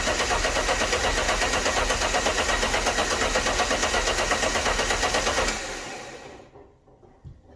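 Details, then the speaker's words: Alfa Romeo GTV V6 abandoned for years, cranked with engine harness disconnected to circulate oil and check for leaks: steady, even cranking pulses about three per second, no clunks or scraping, winds down cleanly; no start, as intended. "so let's give it a crank get the oil circulating around the engine check for any leaks and then reconnect the engine harness and let's try and start it"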